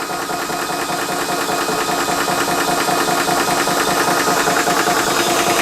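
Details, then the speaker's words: Ballistic 12V 3-stage 350 W PCP compressor filling a rifle toward 3000 psi, around 2500 psi, temperature rising; regular rapid chugging about 2.5 strokes a second over metallic whine, steady and even; pumping normally. "Other thing to mention as well is you obviously can hear the noise coming from the compressor, so be prepared for a little bit of a little bit of noise while filling up your gun, but once everything is full, then the fun"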